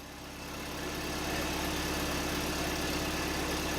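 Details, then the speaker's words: Austin-Healey Frogeye (Bugeye) Sprite after valve adjustment, points gapping and tach drive gear repair, choke partly out, in neutral: even, steady idle with a smooth low beat, no misses or ticking; sounds much better than before the adjustments. "That sounds way better than it did before I did all those adjustments. So, I'm going to call that a success."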